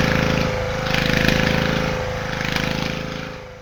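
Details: Probably late-1970s Petter AC1 single-cylinder diesel Kango generator, left standing outdoors for years, started just above 0 °C: a steady, even thumping of about four pulses a second; it has caught and runs cleanly.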